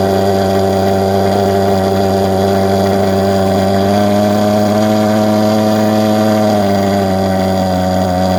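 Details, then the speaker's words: Vectorfog H100SF gasoline pulse jet thermal fogger on VP Racing canned fuel, started by holding the start button 8–10 seconds, solution tank shut: loud steady low drone with a fast even pulse at constant pitch; firing cleanly, normal running. "you gotta hold the start button for about you know eight to ten seconds you'll hear it fire off it might pop and snap a couple times once it's running you'll know it"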